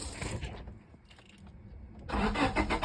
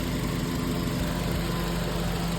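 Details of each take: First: 1998 Honda Civic: the starter spins the engine in a steady rapid churn with no catch; cranks but won't start, traced to a bad ECU ground wire, and it ran once the ground was fixed. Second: 1998 Honda Civic after repair of the ECU ground wire that had caused a crank-no-start: steady, even idle hum with a smooth low rumble and no misses or knocks; normal idle.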